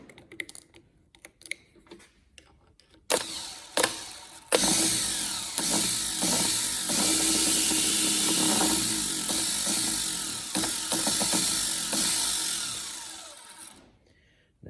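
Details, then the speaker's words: Holden FC grey motor starter, first start attempt in 50 years: starter spins fast with a high whirring buzz in bursts on direct battery feed bypassing the solenoid; solenoid won't click in. Owner suspects the side wire needs an earth. "solenoid didn't seem to want to click in I'm wondering if that that wire on the side needs an earth wire"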